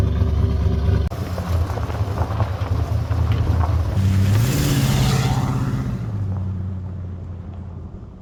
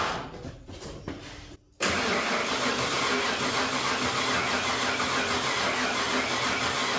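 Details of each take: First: Ford 351W V8 after new bigger cam and pushrod install, running once distributor cap was corrected for the number 1 rotor position: deep, even rumble with a steady lope, one smooth rev settling back; purrs like a kitten, normal healthy idle. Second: Ford 351W V8, engine pulled and refitted with new bigger cam and pushrods after a snapped non-hardened pushrod: even starter cranking, about three beats a second, no firing or pops; no spark suspected.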